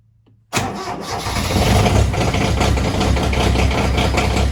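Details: Diesel machine kept in the garage, marginally warmer than the -8°F outside, running the same fuel as the failed RTV900: after extra glow time it catches in under a second and settles into a steady, even idle. Normal cold start.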